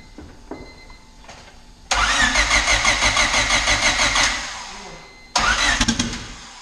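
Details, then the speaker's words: Honda D16 build running on E85 cranks, catches cleanly and settles into an even pulsing run at about three beats a second, then blips; 98 psi oil pressure cold; a normal start and idle. "That's E85 life. Sounds good."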